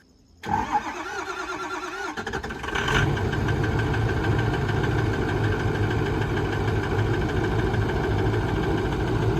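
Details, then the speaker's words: Ford 6.0 Powerstroke diesel truck with ZF6 six-speed manual, bought with a known misfire: starts and settles into a lumpy idle with an uneven, skipping beat; slight misfire, cause still unknown. "So yeah, there's a slight misfire in the engine, as you can hear. That's just the reason why we're buying it, because it's cheap, because it's got a misfire, and the owner's sick of messing with it."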